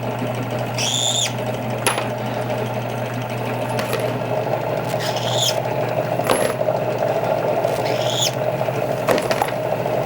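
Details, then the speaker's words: Drill press deburring outside of rifle brass cases with a Kwik Trim setup: low steady motor hum with a short rising squeal every couple of seconds per case; normal deburring noise. "We're going to simply turn this on, and just run these up to you. Hear that little squeal? And that's all you need to take that outside deburring off."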